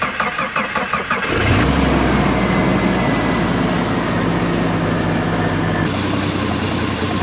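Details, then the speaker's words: 1990 Jeep Cherokee XJ Renix 4.0 L, previously knocking badly, after loose flex plate bolts were tightened: starter cranks briefly, engine catches cleanly and settles to a steady, even idle with no knock; normal start and idle. "foreign X um sounding a hell of a lot better now that Flex Plate's bolted up all the bolts released"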